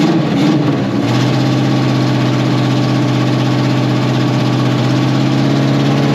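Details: 1981 Oldsmobile Cutlass G-body V8, revived after sitting nearly a decade: deep V8 settles into a loud idle with a slightly uneven, lumpy beat, a little choppy; rough idle.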